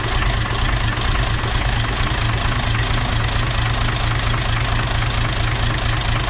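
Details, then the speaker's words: Toyota 2H turbo diesel: heavy idle with a lumpy, uneven beat and dull knock about once a second; cracking injector lines changes the back five cylinders but not number one, so the fault lies in cylinder one. "all right so whatever has gone wrong is in number one cylinder so I went through and cracked all the injector lines and you can hear the difference on the back five but there was no change to the way ran on that front cylinder"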